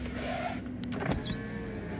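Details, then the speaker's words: Low-mileage Toyota MR2 stood since the start of Covid, electrics checked on first inspection; smooth, even motor whir rising and falling as the glass travels, ending with a soft stop; normal power window operation. "yeah there's a button there so the electric seem to be working also we got mirror yeah all the electrics are working"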